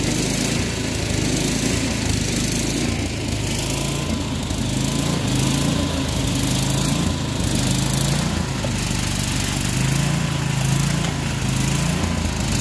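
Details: Troy-Bilt Storm 24-inch snowblower after clearing the air vent, adjusting the float tab and fitting a new spark plug: single-cylinder engine at a steady, even buzz with no misses or surging; sounds properly tuned and healthy.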